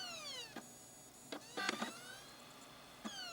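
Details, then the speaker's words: Optical Blu-ray drive in a computer, before trying laser lens cleaners: whirring pitch climbing and dropping repeatedly with clicks and buzzes, spinning up and seeking without reading the disc; vibration ruled out, problem recurs. "Nope. Looks like the vibration thing was just a fluke. Yep. It's doing it again."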